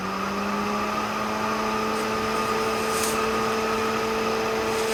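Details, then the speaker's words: BMW electric radiator fan on an LS-swapped BMW E46 during custom cooling setup: steady even motor hum, no rubbing, ticking or wobble; first wiring blew instead of pulling, retried; fan healthy. "Okay, so it blows. Interesting. Thought it would pull, so push. Try it again."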